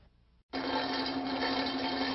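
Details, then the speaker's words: Rattling like marbles inside a running pump over a steady hum, usually a sign of cavitation, which may also show as fluctuating discharge pressure, an overheated casing and reduced flow. "you hear a rattling noise that sounds like marbles rattling around inside the pump it's usually a sign of cavitation"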